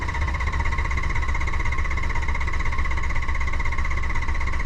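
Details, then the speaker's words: Ford 6.0 Powerstroke diesel hot crank-no-start, P2291: even droning crank about two beats a second with no firing; injection control pressure reaches only 270 psi of the 500+ psi needed to fire injectors. "as you can see we're only hitting 270 PSI this thing's not going to bust over"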